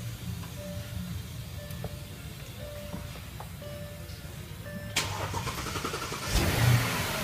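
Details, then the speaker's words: 4.2 litre V8 FSI engine with a completely dead battery, jump-started from a small Antigravity Micro Start jump pack: starter grinds briefly over music, then catches cleanly and settles into a steady run; normal start. "So, out of this little thing, I was able to jump this V8 FSI motor, 4.2 liter."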